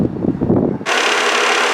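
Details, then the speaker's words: 1998 GMT400 Suburban with electric radiator fans taken from a 2008 GMT800, after repair: the fans spin up to a steady whoosh with a faint light rattle. One fan is hitting something slightly but both run. "This one, it's hitting something ever so slightly. You can hear that little rattle type sound, but they're running."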